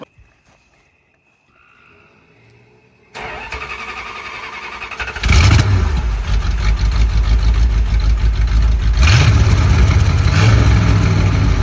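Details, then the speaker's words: 1966 Chrysler Imperial with new custom-welded exhaust, first start: engine cranks, catches and idles loud and raw with chuffing. Exhaust leak at the downpipe-to-muffler clamp, which is 2 3/4 in where 2 1/4 in was needed. "That exhaust clamp is a 2 and 3/4 and we needed a 2 and 1/4. So, it's a little too big. It's causing air to come out the side there causing an exhaust"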